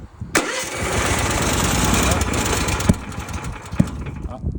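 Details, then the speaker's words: ROKAWALKER remote-controlled mower, cold start with fuel on and choke engaged: engine catches after the start but runs rough and uneven at low speed, never picking up; failed start from too little throttle. "pas assez d'accélérateur."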